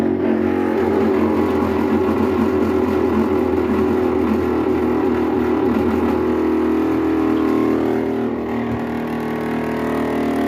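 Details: Brastemp 15 kg washing machine (BWB15/PWA15) making a loud, steady droning buzz while filling with water; a faulty inlet valve chattering under water pressure.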